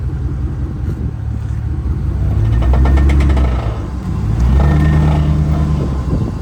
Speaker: I got zero clue what this noise even is. There is something going on with the rear diff of this truck right now. It is making some noise.